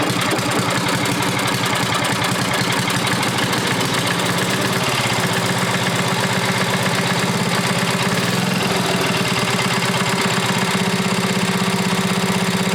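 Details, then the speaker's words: Briggs & Stratton Model 14 6HP flathead side-shaft single-cylinder engine, first run: loud, ragged, uneven beat with a flat note, smoking badly; weak compression and oil burning. "okay that runs give that smokes pretty bad I figured it would be you don't have the real good compression either really"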